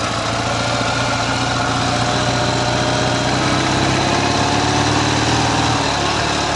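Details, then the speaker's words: Ural motorcycle with sidecar boxer twin, cold engine idling: steady, even beat on the right cylinder with no knock or tap, healthy; the left cylinder knocks under load, cause unknown. "Вот справа вообще вопросов нет."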